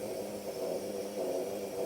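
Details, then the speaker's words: Off-grid lantern (uses globes, generators and wicks) burning with a steady low hum and soft hiss at constant pitch, with no sputter. The owner says it has hummed loudly like this since new; the cause is unclear. "And this one does hum a lot. It makes that noise. It's done that since I first got it."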